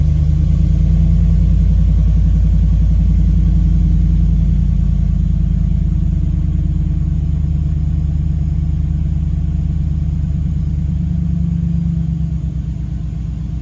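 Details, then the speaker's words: Truck just started after SCTX4 93-octane tune, idle raised from 600 to 800 rpm, with 35-inch tire correction: deep, even rumble easing as the fast cold-start high idle drops toward 800 rpm; normal. "oh yeah idol is up i set it on 800 that looks like well you got high idle at first it'll back down after"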